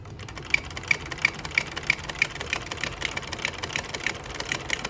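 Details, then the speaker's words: Vintage Singer buttonholer (Simanco 160506, low straight shank) run empty with presser foot pressure at normal sewing setting: sharp ticking about three a second with uneven strength and spacing, showing foot pressure is too high. "You hear how this does not seem to be running smoothly. It's you're getting uneven clicks."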